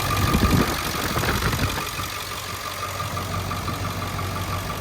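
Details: 7.3 diesel truck idling after high pressure oil pump replacement: even diesel clatter with faint constant whine, no stumbling or misses; engine runs smoothly.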